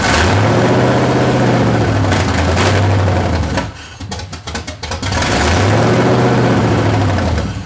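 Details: C30 with 383 stroker V8 after swapping the stock starter for a high-torque racing starter: engine spins over briskly, catches and revs in smooth even sweeps; cranking and start-up sound healthy, though the engine still won't idle.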